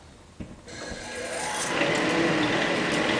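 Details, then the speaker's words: New-old-stock Gentleman Janitor GJ-51 coal stoker, never fed coal, with mouse nests inside, first start; motor spins up into a soft, even whir with light rhythmic drive ticking about four a second, quieter than an EFM stoker: normal running. "fires right up. A lot quieter than the EFM."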